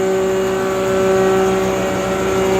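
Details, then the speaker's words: Restored John Deere 6A hammer mill, new bearings, converted to single phase, 3 hp 220 V electric motor drive instead of PTO or flat belt: starts and runs strong with a smooth, even mid-pitched hum, no knocking or rubbing; normal running. "That 3 horsepower, 220 volt motor starts strong and runs strong."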